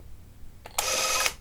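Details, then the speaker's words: Minolta XL-400 Super 8 camera after repair (battery terminal corrosion cleaned), test film loaded, regular run: brief, even half-second whir with no catching or grinding, and the film can be felt. Normal film transport. "Ooh, that felt different. Could feel the film."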